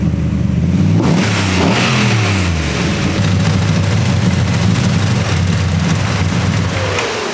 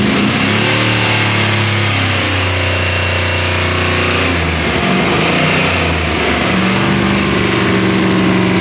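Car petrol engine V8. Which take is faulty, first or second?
second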